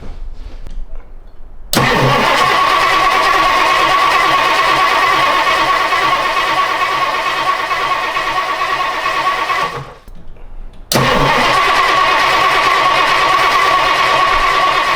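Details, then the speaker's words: 1962 Ford Thunderbird after 16 years sitting, first start on fresh fuel: catches after cranking, runs loud and uneven, dies when given gas, then refires; very rough running. "Maybe >> that was a running car right there. I >> I mean running really really rough."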